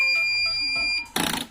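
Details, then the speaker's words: Sukam Falcon home inverter switched on: a long steady high-pitched beep, then it shuts off, an overload alarm that keeps recurring; still to be opened and checked. "देखो देखो यह फिर से है। Overload पर चल रहा है गया।"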